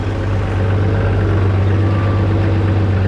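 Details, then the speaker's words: 1969 Oliver 1650 backhoe diesel with new electric fuel pump replacing torn-diaphragm pump, about 40 minutes idling at roughly 1000 rpm: deep, steady even chug, no knocks or misses; normal idle. "okay we are just past the 40 minute mark of idling here we got it at about a thousand rpm"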